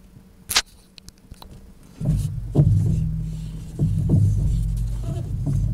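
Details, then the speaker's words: Car, apparently a Renault Megane, with the engine idling while the steering wheel is turned left and right: uneven clunks and knocks with each turn. "عندنا صوت آخر طبعا نسمعوه مع بعضنا، نسمعوه معي مليح. الصوت عندما ندور يمين ويسار الفولون، نسمعوه مليح."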